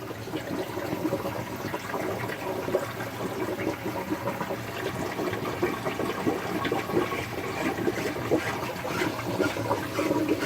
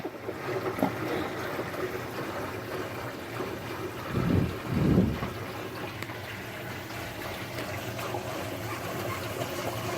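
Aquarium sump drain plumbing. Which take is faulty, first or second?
first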